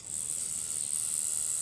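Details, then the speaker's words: Cheap online-bought rotary tattoo machine running at about eight volts, no needle fitted yet: high, steady buzzing hiss with no rattle or surging; really silent but some vibration noticed. Normal running. "it's really silent but i observed a amount of vibration"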